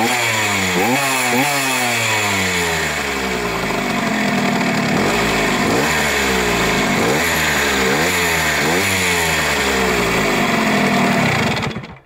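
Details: Sachs 50S with an overhauled 6-speed engine and bored original 75cc cylinder, two-ring piston, used Ultra 80 needle-bearing clutch basket, not yet optimally tuned, about 1000 km: buzzy revving with a thin high whine on throttle closing.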